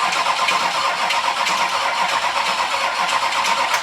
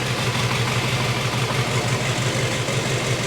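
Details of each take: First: 6.6L Duramax diesel swapped into a Jeep Wrangler, hot-wired with van harness, first start attempt after fuel pump confirmed pumping: slow, uneven starter churn for four seconds with no firing, weak battery; cranking but no start. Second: First start of a 6.6L Duramax diesel swapped into a Jeep Wrangler, ECM in reduced engine power, no oil pressure reading yet (sensor hookup questioned); even diesel idle clatter with steady low thump, no misses, sounds healthy.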